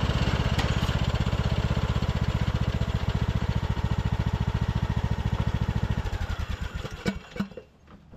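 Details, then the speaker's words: Craftsman LT2000 riding mower, almost 20 years old, after a new carburetor and deck spindles: a strong, even low thump while mowing and mulching with no misses or knocks, running fantastic. "all right guys well this machine is running fantastic"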